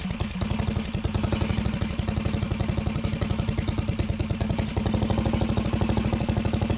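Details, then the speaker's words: Harbor Freight Predator 420cc built engine on 2WD Coleman minibike, near-freezing rain: steady single-cylinder idle with loose metallic clatter on every firing pulse; recoil starter walking its way out. "I legitimately don't know what's making that noise. Ah, that's walking. The starter's walking its way out."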